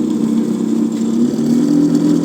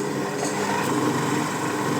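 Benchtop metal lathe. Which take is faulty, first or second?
first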